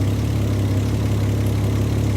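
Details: Low, steady V6 idle with an even pulse, no misses or knocks, after TPS, idle screw and timing adjustment on a Mazda MX-3 with swapped KL 2.5L V6 and Millenia intake/throttle body; exhaust leaks noted; normal idle.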